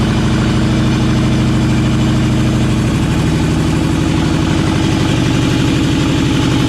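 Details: LS-swapped K10 truck at idle; loud lumpy V8 with uneven stumbling beat, not firing on cylinders 2, 3, 5 and 8 per owner; they suspect it is down a cylinder, cause unknown.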